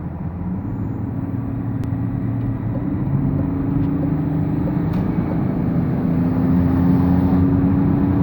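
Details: BMW 530d E39 diesel pulling, with a thin whistle that climbs with revs over the engine note; turbo whine, whether excessive is unclear.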